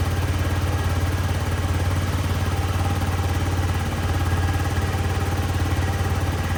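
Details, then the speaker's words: Yamaha C3 50cc liquid-cooled four-stroke fuel-injected scooter idling after fuel pump replacement: low, even putter about 200 beats a minute, steady, quiet and clean with no misses or rattles, running like new. "But I'm very happy that it fires and it sounds so good. It is quiet, it's clean, it is running the exact way very like new Yamaha C3 with that 50cc liquid cooled 4-stroke fuel injected beast should run."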